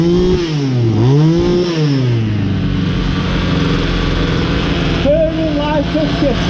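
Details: Ryobi LT2 two-stroke petrol trimmer, repaired after failing to fire following a new tank of fuel: small engine buzzes steadily, swoops up and down a few times with throttle, then holds an even high run; running properly.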